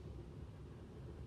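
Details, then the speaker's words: 2008 Toyota Tundra 5.7 V8 stalling at hot idle with no codes: a deep, uneven rumble that sags near stall, with rpm too low and MAF reading low; the throttle body was found carbon-fouled. "okay it's an idle right there first of all i want to see that i see that the rpms were too low"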